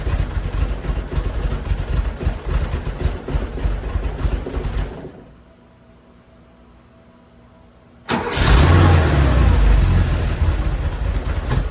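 Lumpy, uneven running with a dropout then a loud pop and surge on restart, a rough flat-six starved by vacuum leaks.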